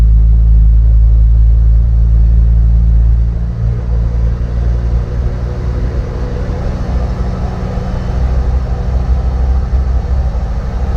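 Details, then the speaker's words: Audi S2 after refitting stock ECU and starting: steady deep petrol rumble settling after a few seconds but holding a fast, raised idle; idle running high. "jasso tyhjä käynti Vähän meinaa olla isolla"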